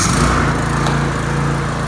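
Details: Toro TimeCutter 30-inch walk-behind mower after blade/PTO belt replacement for blades not engaging: steady, even engine drone with no misses, knocks or rattles; runs normally.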